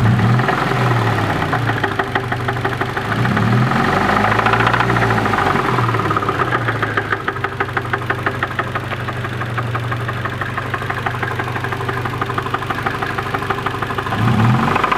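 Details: Nissan KA24DE engine with 170 miles, owner suspects a bad bearing: sharp, regular knocking about three times a second at idle, rising above normal engine sound, deep-seated; suspected rod knock, not confirmed.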